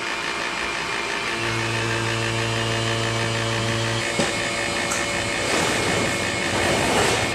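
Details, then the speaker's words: Vacuum pump evacuating a reach-in freezer after compressor replacement: steady drone whose hum changes near four seconds as the low side opens after the high side, showing hoses connected correctly; normal evacuation. "So when you open the high side here, hear how it started to pull some air? Same thing on the low side. So we'll open both of them up. There's the high side. It always pulls less. And now the low side."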